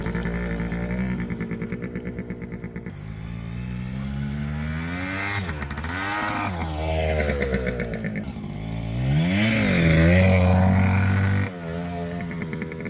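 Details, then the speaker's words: 1974 Kawasaki G5 100cc two-stroke barn find, stored since 1985, on test ride under throttle: buzzy revs flare up and down without the bike pulling, the clutch barely works and slips, not putting power to the ground. Clutch slip. "the clutch barely works uh this thing is just slipping all over the place you can hear it on the video where I give it the beans and it doesn't go anywhere"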